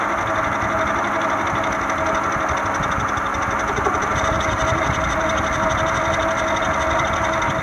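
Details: 1996–2001 Toyota Camry four-cylinder idling: loose, uneven rattling knock over a steady hum, from a noisy, shaky failing harmonic balancer needing replacement.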